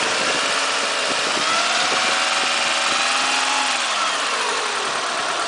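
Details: Renault Megane II 1.6 petrol: engine pulls up with a rough uneven rattle at about three to four beats a second and a rising whine; strange noise when accelerating, cause unclear.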